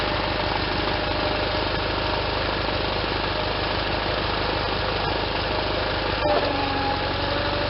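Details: Case Ingersoll 448 hydriv garden tractor with twin-cylinder Onan engine, running after installing a fully rebuilt N46 mower deck with a new belt: steady drone with the deck spinning, even beat, no squeal or belt slapping; belts tracking well.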